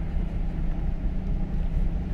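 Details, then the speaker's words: 2015 GMC Silverado, towed in stalling and running terrible, with no flashing check-engine light: a deep, lumpy, shaking idle with stumbling pulses. Active fuel management and a MAP code were suspected, but the dead cylinder came from a broken valve spring and bent valve. "wow this thing he's running terrible"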